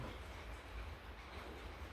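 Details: Loose reduction-gearbox bearing from a Derbi Grand Dink 125 scooter transmission, spun by hand: dry, gritty, uneven rumble from the blackened, noisy worn bearing, to be replaced with a new FAG bearing.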